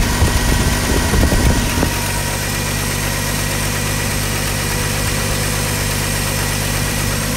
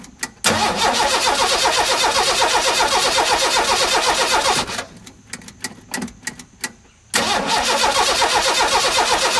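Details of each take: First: 1985 Ford F-150 with 300 straight-six, 240,000 miles, running after cam gear replacement: after a brief rev it drops into a smooth, steady low idle with no knocks or misses, a well broken-in engine; slight exhaust leak noted on exhaust side. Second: 1985 Ford F-150 with the 300 straight-six at 240k miles, first crank after a cam gear replacement: steady fast starter cranking, two tries, never fires. It cranks but won't start, so spark is checked next.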